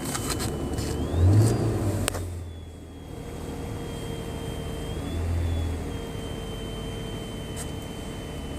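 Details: 2007 Toyota FJ Cruiser, VHF radio picks up noise once ignition is on, grounds good, before homemade filter fix; thin high whine over engine climbing in pitch with each rev; engine-induced radio interference.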